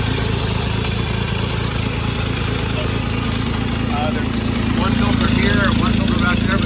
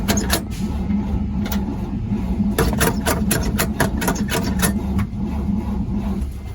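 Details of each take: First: 1948 Chevrolet 3800 dual-wheel stake bed truck, long parked, start attempt: steady low six-cylinder putter, even idle, slightly lumpy but holding on its own; normal idle. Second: 1948 Chevrolet 3800 dual-wheel stake bed truck, long parked, first start attempt without fuel supply, only primed mix fuel: catches for a second of ragged firing then dies; fuel starvation.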